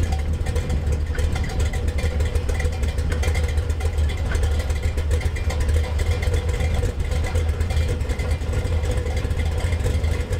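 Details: Budget Gen VI L29 454 V8 with the factory ZZ502 hydraulic roller cam, idling on an engine stand, warming to about 180°F; deep, steady lumpy idle with even firing and no ticking or knocking. It sounds healthy.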